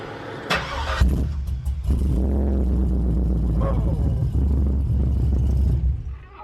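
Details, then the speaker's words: Truck that quit while driving, with the fuel pump back in: brief crank, then engine catches and settles into a steady even run with no stumble; now starts and idles normally. "Once we got it apart, it's pretty obvious that that was the issue. It fires up, it runs good now."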